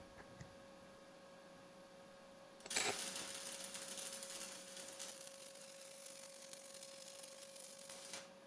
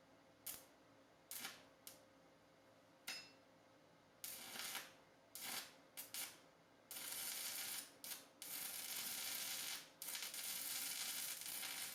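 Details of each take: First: YesWelder YWM 211P stick welding at 75 A indicated on scrap plate, a small bead for comparison with a $35 Amazon welder. The arc strikes and settles into an even, steady frying hiss with no popping or sputter; a smooth, healthy arc. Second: Simder ARC 120M, the cheapest and smallest inverter welder on Amazon, running 6011 fast-freeze rod before being turned up to 80. The arc keeps sputtering out in short crackling bursts before a rough hiss settles; it cannot hold a steady 6011 arc.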